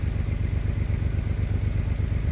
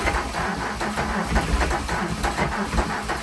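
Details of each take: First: VW Mk3 VR6 12v after a motor swap: a smooth, even low rumble at idle with no knocks or misses. It sounds healthy. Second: VW Jetta Mk3 VR6 12V after engine swap, alternator suspected not charging: starter drags engine over slowly, about three labored turns a second, then quits; battery lacks juice, charger connected in start mode.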